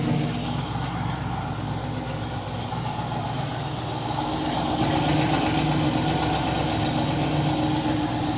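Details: TVR Griffith 500 V8 idling in the workshop at first start after extensive work, new HT leads fitted, coolant being topped up and burped. Smooth regular low rumble about four pulses a second, settling slightly richer midway, no misfire or knock; normal idle.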